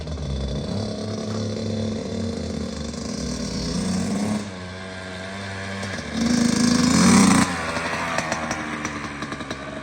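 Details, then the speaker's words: Kawasaki KX85 two-stroke after water pump and case seal and gasket replacement fixing a leak, first kick, warming up: crisp steady idle, clean blips without bogging or rattles; sounds very different, normal running. "First kick. Nice. Gotta let it warm up for a second and then we can give it a shot. Sounds way different now."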